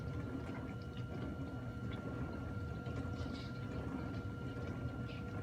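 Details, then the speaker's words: GE dishwasher on a normal cycle with no extra options, filling and washing. A quiet, steady low hum with water swishing and a faint constant tone. Normal fill and wash. "You hear that water filling on? It's washing right now, you hear that? See that lights flashing? It's running on a normal cycle with no extra stuff on here."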